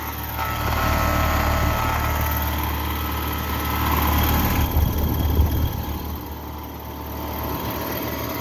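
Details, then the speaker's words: Carrier Sentry heat pump, about 7–8 years old, suspected low on refrigerant but still cooling: loud heavy droning hum with a rough, uneven throb; compressor sounds strained, started suddenly, cause unclear. "Oh, no. That does not sound good at all. Yeah, that's the compressor. It's struggling."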